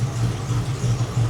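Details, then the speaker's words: 1979 Porsche 928 V8 at idle: low, uneven, lumpy beat with dropped pulses; injectors felt by hand, with No. 6 pulsing weakly, so stuck injectors are thought to cause most of the misfire. "So I think most of the problem right here is stuck injectors. But that's one quick way you can check to see which cylinder is doing the misfiring."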